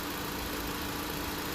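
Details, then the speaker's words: 2016 Honda Civic, R1234yf AC being recharged on the low side at idle: compressor clutch clicks in and condenser fans come on; steady idle with even fan rush and faint constant hum, compressor running normally. "So you hear that? It clicked on. The condenser fans are on. And the clutch kicked in."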